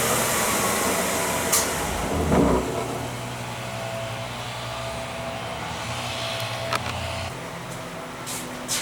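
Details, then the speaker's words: Craftsman 113-series table saw fitted with a new 3 HP 220V motor replacing the stock 3/4–1 HP 120V motor, first start: strong, steady hum and even whir, no rattle or grinding, louder than the old motor; normal running. "to my delight the motor spun up just fine on first start it sounds like an absolute monster running it's quite a bit louder than the old motor"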